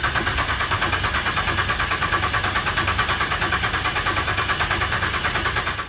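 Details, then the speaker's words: Rebuilt Ecotec engine from the 27 race car after a melted piston, first crank before start to build oil pressure: steady, even starter cranking about three turns a second, no catch or clatter, no firing. "I think it's just going to fire straight up, so we'll get straight into it, eh? Let's crank this thing over, see if we get some oil pressure happening."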